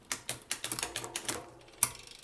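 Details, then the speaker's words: Bicycle, Campagnolo Veloce 10-speed shifters with clutched Shimano GRX 11-speed rear derailleur, 10-speed 11-34 cassette, 11-speed chain: sharp irregular clicks and a hard clack as chain fails shifts and jumps cogs; skipping, suspected shifter/derailleur cable pull mismatch. "three doesn't want to shift four didn't shift five shifts whoa six jumped up skip to gear no this is not working not at all"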